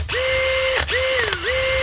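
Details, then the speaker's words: Heavily used factory Makita DHP483 18V compact drill after repair with a new switch, a 604 bearing to quiet it, grease, a clean and a new chuck: a clean, even whine spins up, holds, dips briefly and recovers with no grinding, a healthy drill. "Fixed up with a new switch, little bearing to quieten it down, little touch of grease, a clean, and a new chuck."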